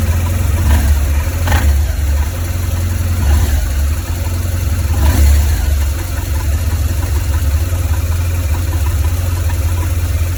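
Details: 2004 BMW R1200GS, 36,000 km: loud, lumpy low idle with uneven beats and occasional stumbles from the right cylinder head; valve clearances, rocker arms, spark plugs (not fouled) and primary and secondary coils checked, cause not yet found.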